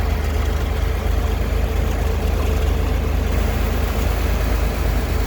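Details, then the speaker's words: 1962 Chevrolet Corvair Monza convertible flat-six, 53,000 miles, fresh oil, full tune-up, rebuilt carbs, just started: low, smooth, even idle with a steady beat, no ticking or valve clatter; runs great. "And as you can see, I don't know if you can hear that, but there's no nick, there's no, valve noise, motor noise, nothing. Runs great."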